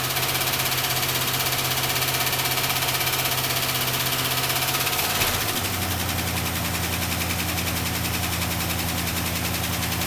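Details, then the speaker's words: 1967 Plymouth Fury, first start after sitting 42 years: a steady fast idle settles to an even lower idle as the high idle and choke work, with no misses or knocks; it smokes a bit and leaks fuel. "guess we answered the question about will it run oh my God that thing ran beyond my wild expectations"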